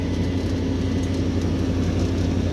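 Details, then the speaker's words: Daikin 1-star inverter air conditioner FTKF09XV2S, reinstalled after air in the system, vacuumed and charged with 360 g R32; current 3.69 A, pressure 144–145 psi. Steady low hum as the compressor smoothly ramps up; normal. "กำลังเร่งขึ้นไปนะครับโคเปี๊ยะนะครับ"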